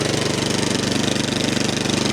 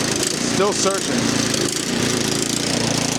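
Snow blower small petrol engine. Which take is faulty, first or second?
second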